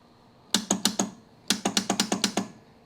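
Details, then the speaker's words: 1971 AMC Gremlin sitting since about 1984–85, rusty, suspected bad battery cable: burst of four sharp clicks then eight more at about seven per second, no starter spin; solenoid clicks, no crank. "Alright, so the solenoid clicks."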